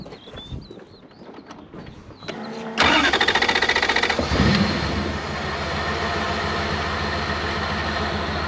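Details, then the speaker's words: Toyota BJ40 Land Cruiser with 1UZ V8 swap and manual: brief cranking, then the V8 catches cleanly, flares once and settles to a smooth even idle, run before refitting the ECU, after fixing bad earths on the back of the block; normal start and idle. "let it run for a few moments and then we'll chuck the ecu back in it and then we'll go for driving and testing"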